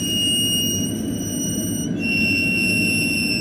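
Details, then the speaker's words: Honda Civic wheel turning: a high, steady metallic squeal that is not the brakes but a bent, rusted-out dust shield rubbing the rotor and scoring a line into it. "that is not the brakes that is this dust shield right here that is all bent up and rusted out and it's making contact with the rotor"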